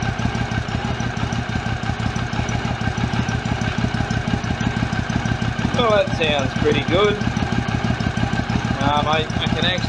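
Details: 2006 Triumph America at idle after patching a cracked airbox lid (was in five pieces); even, steady low thumping about three beats a second, no misses or knocks; normal idle.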